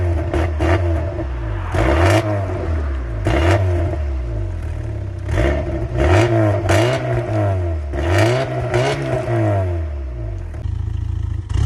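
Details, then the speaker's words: Mk3 Volkswagen Golf with resonator-delete exhaust, parked, not driven due to a snapped part risking overheating: repeated throttle blips, note rising and falling smoothly, deep raspy exhaust; normal revving. "What I'm going to do is actually start it up so you can hear what it sounds like with the res delete, because it's got an interesting exhaust note to it."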